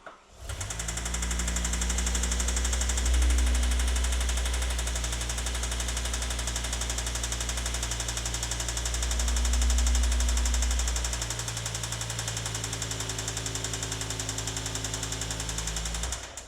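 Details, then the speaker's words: BMW E60 M5 V10 (S85) engine, recently rebuilt with new bottom-end bearings, idles with heavy, steady knocking about four a second that swells with each throttle blip: another spun rod bearing, engine blown. "We definitely spun another bearing, those new bearings that we put in the bottom of this engine, and it is absolutely spun another bearing and is not going to work anymore."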